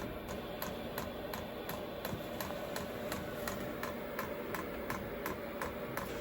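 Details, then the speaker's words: Vevor 8 kW diesel heater newly installed in a camper van, fuel pump priming with air in the line: steady sharp clicks about three a second, no burner roar; heater fails to light, E10 start-up failure code. "Okay, so we had a E10 error when we tried to start it up. I looked in the book, and there's actually several different fault code tables, and I finally found one that said it's a failure to start up fault, so which I'm not super surprised about, because there was air in the line."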